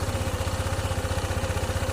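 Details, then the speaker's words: Honda ADV 160 scooter with hard-start history, after one-click start on scan tool: fast, even putter at raised idle around 1854 rpm, idle fluctuating; idle set too high, to be reprogrammed. "1854. Ayisin natin yan mamaya program natin top. Ayan nagbabago bago pa yung menor."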